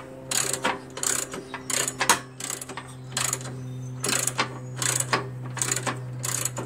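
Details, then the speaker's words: Old Jacobsen Imperial 26 dual-stage snow blower, 6hp Tecumseh, rusty curb find: repeated rattling, ratcheting bursts with each hard recoil pull over faint hum; has compression but something seems loose, source unknown. "I'm still a little of wondering what that noise was you know what I mean you know the noise I don't know what the noise is and when you pull it that noise"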